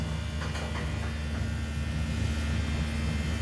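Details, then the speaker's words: DC compressor on a solar ice block machine: a low, steady hum with an even buzz and no knocking or rattles; running smoothly. "The engine is running smoothly. We have also installed DC compressor and it's working."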